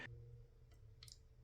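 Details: Toilet tank: faint, irregular drip ticks less than a second apart in a quiet tank, caused by water dripping at the fill valve. Lifting the float stops it, and replacing the float mechanism also works.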